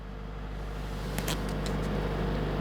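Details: Wrecked Mercedes-AMG A45 S being rebuilt, start attempt after a software flash that raised a sensor rotor adaptation fault code: engine catches and settles into a steady, even low idle rumble with no stumbling; normal start.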